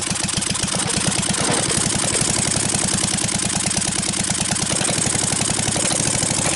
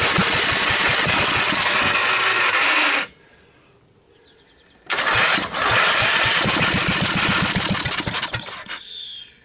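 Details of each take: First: Briggs & Stratton 12.5 HP L-head engine, mouse-damaged and corroded after years stored, first run after starting fluid with throttle raised from idle: fast, even popping beat with no misses or knocks; runs steadily and healthy. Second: Briggs & Stratton 12.5 hp L-head engine, years on a shelf with mice corrosion damage, choke on, set to idle, on starting fluid; long rattly cranking bursts fire then die, cranks and kicks again before fading, won't stay running.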